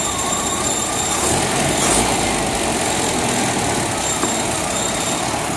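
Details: Persistent idle misfire that continues even after a top overhaul: an uneven, choppy idle with a loose stumbling beat of about four pulses a second under hiss, cause unclear.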